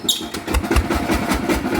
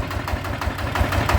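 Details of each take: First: Bluebird small engine, before repair: lumpy, uneven running with irregular heavy thumps about every fifth of a second, shuddering as if a bearing is broken; likely a worn bearing. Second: Bluebird small engine after repair: short burst of steady, even low firing pulses, no knocking or rattle; runs smoothly and sounds healthy.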